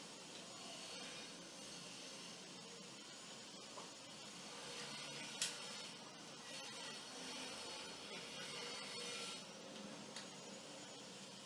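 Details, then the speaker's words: Washer-dryer drying fan motor after repair (plastic-safe grease on plastic seal, turbine refitted with new washer and screw); soft even airy whoosh, no grinding or rumble; much quieter than before, normal running. "Bom, tá aí, como vocês podem ver, a diferença de ruído é muito grande."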